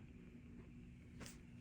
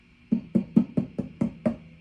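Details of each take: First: 1965 Fender Deluxe Reverb tube amp, fully warmed up, at full volume after repair with microphonic 12AX7s in V1/V2 noted: only a faint steady low hum, soft hiss and one click, no crackle or buzz. A very quiet noise floor. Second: 1965 Fender Deluxe Reverb amp, fully warmed up with controls on 10; tapping the 12AX7 in the V2 position gives sharp hollow knocks through the speaker, seven in under two seconds, a microphonic preamp tube.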